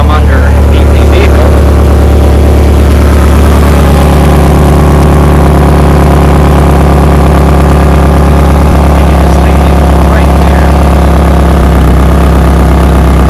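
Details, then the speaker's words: Toyota Camry with a hole in the front flex pipe, front end on jack stands, engine idling: a steady low idle with a loose, uneven puffing chuff as exhaust leaks from the flex pipe. "what i'll do first is actually start the engine because i want to show you what it sounds like and i will show you exactly where it is leaking"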